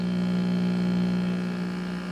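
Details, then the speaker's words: 1959 Westinghouse five-tube AM radio, 117 V: steady low 60 Hz hum unaffected by the volume knob, while stations still tune clearly; owner suspects the failed main filter capacitor. "this capacitor i think is tostitoed because i'm getting a lovely 60 hertz hum when it's on"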